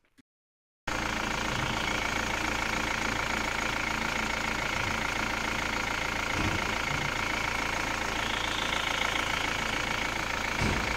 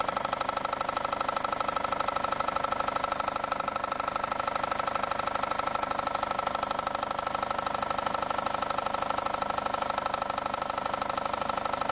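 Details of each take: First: Engine idling smoothly and evenly with no knock after a new harmonic balancer was fitted. The balancer had caused a deep bottom-end knock that another shop misdiagnosed as rod knock needing an engine replacement. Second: Idling engine with a deep, even knock about three times a second from the bottom of the engine; another shop diagnosed rod knock and an engine replacement, but the actual cause was a failed crankshaft pulley/harmonic balancer.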